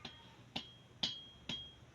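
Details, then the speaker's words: Returned crankshaft assembly with genuine brand-new parts, checked for claimed play: light metallic clicks about twice a second as the connecting rod is rocked by hand; slight side play is normal clearance, no up-down knocking. "Ito, normal. Yung may konting kalog. Kasi pag walang clearance yan, ipit yan."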